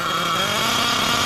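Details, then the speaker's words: Nitro RC car engine after richening carb from factory setting and opening idle gap: thin high buzzing whine holding hard at idle with no low body; running extremely lean. "That is what we'd like to call an extremely lean, machine."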